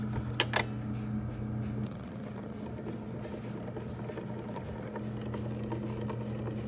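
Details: 1960s vintage record player after a quick idler-wheel fix to restore its contact with the motor: steady low motor hum, platter running smoothly and evenly with no slipping or speed wobble. Normal drive.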